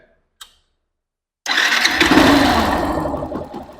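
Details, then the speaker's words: Factor 150 motorcycle that developed a loud growl from the lower engine, like a rumbling bearing, a week after its ignition module, sensor and voltage rectifier were replaced. It catches and runs with this growl; the cause is a burnt stator coil. "se sua Factor 150 está fazendo um barulho forte no motor principalmente na parte de baixo que parece um rolamento roncando esse vídeo vai ajudar você a solucionar esse problema"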